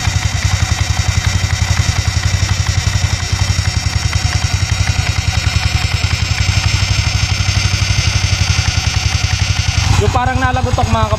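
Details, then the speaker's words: Skydrive 160cc scooter at idle with the old pulley set fitted: a fast, even clatter riding on a low idle thrum from the CVT/belt side, a loose rattly ticking from a worn pulley set loose at the spline; heard at idle, not at cruise. "Para marinig nyo lang yung ingay na nanggagaling sa panggilid."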